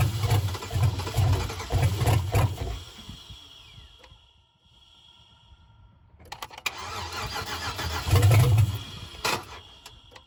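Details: 2005 Chevrolet Suburban LS donor engine, oil checked and low on gas: two long spells of steady cranking at about two turns a second with no catch either time; throttle makes no difference. Cranks but won't start.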